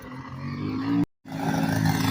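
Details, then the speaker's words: Kawasaki KLT160 mini Prairie Dog ATV, sat for years, being ridden: uneven, stumbling revs with a brief cut-out and ragged recovery, almost two-stroke sounding. Owner thinks it runs way too lean. "You can hear it's not running right. Yeah, it sounds like a two-stroke almost."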